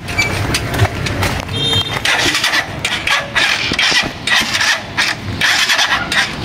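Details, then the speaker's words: Rusi Chariot 175 tuk-tuk used for hauling water, idle set too high: repeated sluggish starter bursts churning without catching cleanly; slow cranking, hard start, weak battery suspected. "Parang mahina yung battery mo."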